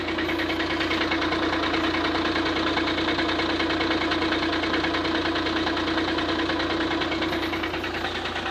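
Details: 2009 VW Passat CC 2.0 TDI 125 kW 170 hp DSG cold start: steady rough knock about two beats a second over diesel clatter from the engine bay, only when cold; persists after flywheel replacement, owner suspects oil pump.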